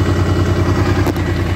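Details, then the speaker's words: Honda NT700 motorcycle after repair of a coolant leak at the water pump housing and crossover tube, warm idle just up to temperature with cooling fans whirring: steady, even low thrum; sounds healthy. "i don't know if you can hear that but we've just got up to temperature"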